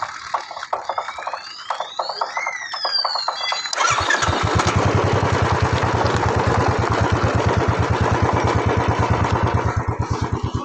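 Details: Royal Enfield Classic 350 BS6 single-cylinder: even idle near three beats a second with irregular noise, apparently from rear wheel/tyre area; abnormal rear wheel noise.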